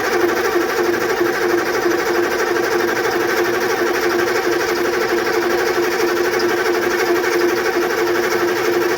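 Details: GM 6.2/6.5 IDI diesel that sat long with old fuel and has a gummed, stuck injection pump, cranked after an alcohol flush with fresh fuel fed by an electric transfer pump: the starter turns steadily, about ninety pulses a minute, but it never fires.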